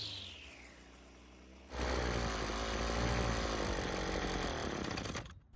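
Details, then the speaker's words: Worn, previously worked-on two-stroke Husqvarna trimmer that won't start: after several pulls with no choke and full throttle, with the plug wire reattached without its boot, it catches into a fast buzzing high rev for about three seconds, then cuts out. Starts then stalls; fuel system suspected. "The engine tried to start and eventually it ran on its own. Unfortunately, it didn't stay running."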